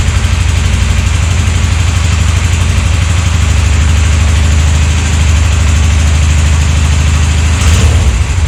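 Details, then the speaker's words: 1998 Suzuki GS500 twin after carbs were refitted, started without choke: the idle sits too low (should be about 1250 rpm) and is slightly uneven, with light valve-train clatter, possibly the timing chain, though it seems to run fine. "it should run a little bit faster i think it should have like 1250 it should run like this the engine is a bit clacky you can see some valve train uh you can hear some valve train noise and maybe maybe even the timing chain but i think it runs fine"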